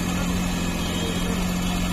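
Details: CNG car with a stalling problem, after repair and refitting: steady even idle hum, no knocks, ticks or misses; engine running smoothly.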